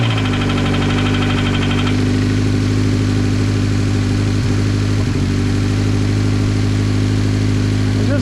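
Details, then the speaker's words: Subaru BRZ on a used replacement engine claimed to have 40,000 miles. Light metallic clatter over the idle for the first two seconds, then fading to a smooth idle. Startup rattle; the cam phaser is suspected over rod knock, cause unconfirmed. "do it when it's under load it's it's a phaser I bet so you could kind of hear it but if it was a knock it'd just be like yeah especially at the beginning when it's out loud"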